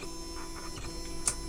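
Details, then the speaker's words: T8 CNC engraver kit, freshly assembled with wiring not yet tidied, jogged from the controller: smooth even stepper whine on the X and Y axes with no skipping or grinding; axes work, but there are no limit switches. "and then your y AIS so all the parts are there and it works from the uh little tablet"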